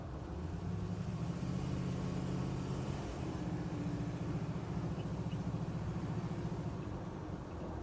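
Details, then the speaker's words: 1973 Nova 350 SS, test drive over bumps and swerves after chasing the rear clunk: steady road and engine drone with no clunks or knocks from the rear. Rear suspension normal; the exhaust still needs work. "yeah still not hearing any clanks I think we might have nailed St see if we can find a few bumpier bits up here somewhere"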